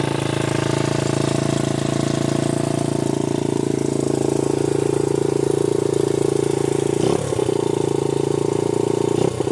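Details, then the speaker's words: 1981 Honda XR80 four-stroke single after freeing a stuck float, started first kick without choke: even thumping at a slightly high idle, steady pitch, no misses, rattles or smoke; runs clean and healthy. "Sounds pretty good. Cannot beat an old Honda."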